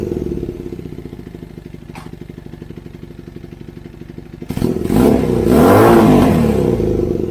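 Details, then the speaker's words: Kawasaki KZ440 with new custom high-mount exhaust: steady fast idle with a light regular puffing tick about three per second, then a rev; exhaust leaking at a header joint only spot-welded. "It's only spot weld here. So we've got some exhaust leaking here. So that's what that little pop, pop, pop, pop is."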